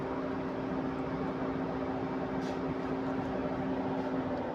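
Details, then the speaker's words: Mercedes GL450 with a no-start complaint: cooling fan keeps roaring steadily with no engine running even after the key is removed, then stops. "The fan is still blowing. Okay, it has stopped."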